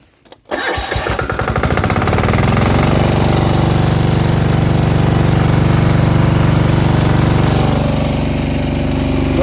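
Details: Plate compactor just repaired with a new control cable: a quick pull and the single-cylinder engine catches at once, settling into an even, steady chug with no misfire or knock. Normal start.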